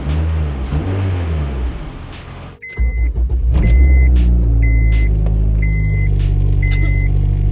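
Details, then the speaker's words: Turbo Honda Fit with new exhaust, just fitted stiff aftermarket motor mounts: deep steady drone and buzzing hum at idle carried strongly into the cabin; mounts pass engine vibration through. "Oh. See how much these vibrate, bro."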